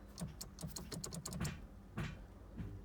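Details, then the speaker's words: Ferrari 360 F1 gearbox, engine off, key on, F1 paddle pulled: irregular bursts of sharp clicks over a low pump hum as the actuator cycles without engaging; car suddenly stuck in neutral with no forward or reverse gears, cause unknown. "Right, so if I fire the F1 paddle, normally you'll see that engage into gear. So you can hear the pump, you can hear the actuator trying to go through the motions."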